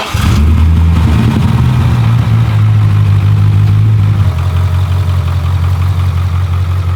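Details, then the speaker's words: Wrecked Z06 Corvette V8 at warm idle after a blip: loping, uneven beat and wavering speed, oil pressure 10 psi, check engine light on; rough idle, cause unknown. "We at 10 PSI right now. Hear how like rough it's idling. I don't know if you guys can tell."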